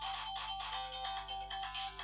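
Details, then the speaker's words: Sega Mega Drive II: the game now runs, but the music comes out harsh, buzzy and off-key, so the audio output is still faulty. The cartridge slot solder joints are suspected. "sound doesn't quite sound right though right well that one works but there's obviously still something not quite right with it the sound isn't right"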